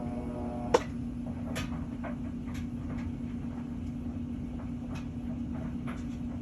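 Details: Whirlpool washer that hummed and would not spin due to a bad capacitor: steady low hum with a few light clicks and knocks; motor turns evenly, washer runs normally.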